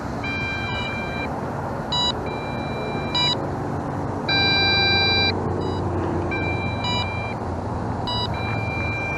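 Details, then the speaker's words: Banggood B6 quadcopter on its maiden flight: after landing in shallow grass, a long press cuts power, and then drone and radio give repeated high electronic beeps in short bursts plus one longer tone over outdoor background. "the bird and the radio, they beep, but if your bird's way out yonder somewhere, and if you lose connection"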